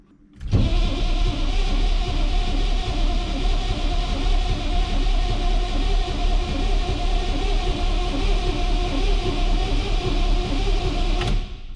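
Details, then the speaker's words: Chevrolet squarebody tow truck, 6.2 L diesel, start attempt after sitting 12 years: strong steady cranking with low rhythmic chug that never catches; owner suspects glow plugs not working, fuel supply also unchecked. "seems like it's trying I don't think those glow plugs are GL plug in though"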